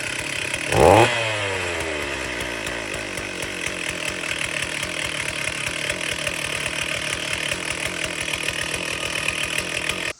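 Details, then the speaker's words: Old Stihl chainsaw that sat about 10 years, started outside: a sharp pull-start burst, then a fast, steady, raspy two-stroke buzz running evenly. Running after revival. "That saw probably hasn't ran in 10 years at least. That is insane."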